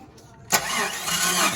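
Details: Jeep Wrangler YJ 4.2 inline six after ignition coil replacement, cranked with a remote starter: short burst of cranking with no firing; battery was dead, charger not plugged in; no start.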